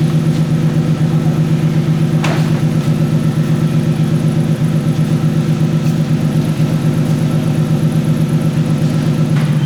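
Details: Budget turbo Lexus, freshly finished build running 0.5 bar boost with no air filter yet, coolant just filled, heard as it backs out before a test drive: deep, even low idle rumble with steady pulse, no knocks or misses; normal idle.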